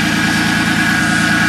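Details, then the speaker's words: Ford Contour warming up after a battery replacement, following a dead battery from outdoor winter storage in snow: steady, even idle with a smooth low rumble, no knocks or misses, healthy engine. "get the contour warmed up she'll move out of here again thanks for watching"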